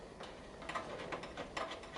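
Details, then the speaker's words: Athena Plus gas patio heater with an AA battery fitted in the igniter: quiet, sharp clicks at roughly three a second, igniter sparking normally. "that up you can hear that clicking that's a good sign"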